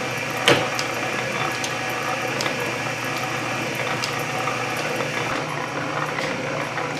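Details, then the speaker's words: Refurbished Canedy-Otto drill press running with the power feed engaged, spindle about 60 rpm: steady, even whir from the straight-cut gear train with only a soft tick about once a second and no clanking. A healthy gear drive. "just mesmerized by this thing listen to it so nice even those straight putt gears aren't too loud and clanky"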